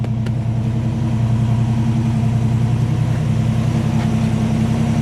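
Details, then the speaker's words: Mustang with newly rebuilt 347 V8, first start after winter storage, electric fuel pump primed, half-throttle choke: deep, smooth burble with a steady, even beat and no ticking, knocking or stumbling; healthy idle. "She sounds great. Listen to that. That is not what the new Mustangs sound like."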